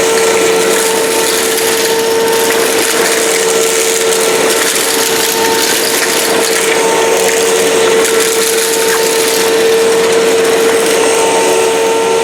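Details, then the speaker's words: 2005 China-made Hoover Wide Path Preferred U5018-900 upright vacuum, 12-amp motor, test run on floor with debris: loud steady motor roar, constant high tone, even airflow, no rattles or pitch dips; normal running. "So I'll unplug the microphone, put some crap down on the floor, and test run it."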